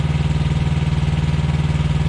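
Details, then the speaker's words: Thermo King Evolution truck APU diesel warming up after inspection and repair, with the air conditioning on, quieter than the reefer unit; a steady, even chug with a smooth low rhythm and no knocks, misses or rattles; idling healthy. "yes very nice from the inside from the sleeper you barely hear that the reefer unit's louder than that is"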